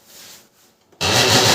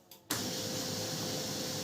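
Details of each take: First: Canon LBP 6030 laser printer at power-on: quiet, then a harsh continuous rasping grind as the mechanism spins up; problem in the gears on both sides. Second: Canon LBP6030 laser printer after repair of its gear sound problem, printing a test page: smooth, steady hum with light paper-feed clicks, no grinding or gear chatter; prints clean and clear, the noise is solved.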